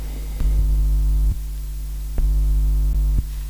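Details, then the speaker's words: RODE VideoMic GO 2 with gain raised by 200%, 500% and 1000%; constant low buzz with a ladder of higher tones that jumps in level; the mic is prone to electromagnetic interference hum. "as you can hear, that this microphone is specifically prone to picking up electromagnetic noises."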